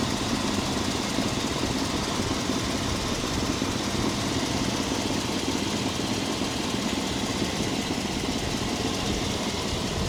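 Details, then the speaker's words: 1997 Chevy 1500 V8, 330,000 miles on the body, motor mileage unknown, idling while the owner listens for a possible lifter tick: steady, even idle rumble with no clear tick or knock; the motor sounds healthy. "Motor sound good as hell to me. You know, I don't know. Am I tripping? That motor sound good as hell to me."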